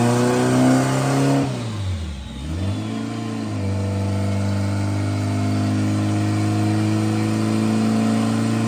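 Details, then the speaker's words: Honda Civic turbo build with a glued head gasket, under acceleration: brief dip in revs then a strong even drone as boost steadily climbs with rpm, no flutter or hiss: healthy turbo boost build. "you can hear it steadily increasing boost as he went up an RPM so that's how the grass's going to look just going to be a steady climb"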